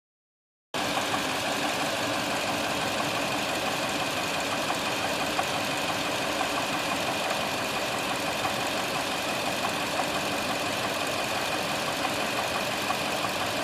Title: 2uz-fe strange knocking sound.